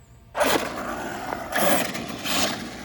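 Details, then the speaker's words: Traxxas Rustler RC car with 17-tooth pinion and 54-tooth metal spur gear: short bursts of high scratchy squeal each throttle pull with little power; gears not meshing, later found stripped. "You can hear that little squeal in there. That's not right."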